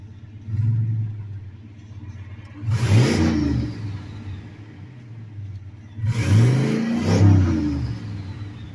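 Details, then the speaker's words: Turbocharged small-block Chevy V8 truck with stock internals, idling after failing several starts: deep steady idle with two clean throttle blips that rise and fall smoothly. Healthy running with nothing rough or knocking. "Hopefully she starts this time. There it is. That's basically what she sounds like."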